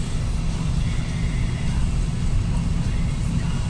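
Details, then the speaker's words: Lada Niva while driving, checked after clunks heard from front left (on and off throttle); suspected wheel liner rubbing: steady smooth low road rumble, no knocks or clunks from driveline; normal driving. "а в целом вот эти посторонних звуков духов нет никаких так что за нормально будет"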